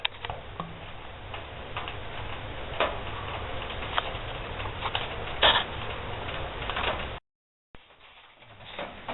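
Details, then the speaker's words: Barrel woodstove with air shut down after pipe temperature reached 600 degrees: irregular sharp metallic ticks, a few per second, in a quiet room; steel shell contracting as it cools. "that's the sound what it's doing trying to cool down a little bit"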